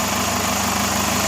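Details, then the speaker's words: Chevrolet Captiva idling during a comparison of engine smoothness between two engine versions. Steady, even hum with a constant tone and no knocks or misses; the engine is idling normally. "Yang NFL. Membandingkan suaranya mesinnya halus mana."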